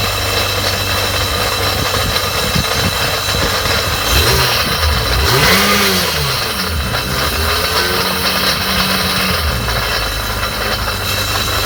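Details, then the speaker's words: 2001 Sea-Doo running: loud engine with high ringing whine and squeal over a rumble, tones sweeping with revs; owners suspect the jet pump, nothing stuck seen, slight play when the impeller is moved. "everything was going fine until this one started making a ringling and squealing sound we think there's something wrong with the gem"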